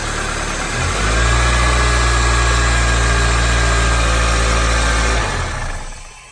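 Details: 2004 Toyota Corolla petrol engine idles smoothly and evenly with no growl, then shuts off, after the old belt tensioner assembly was replaced; the growl had occurred when cold and put into gear, tensioner suspected.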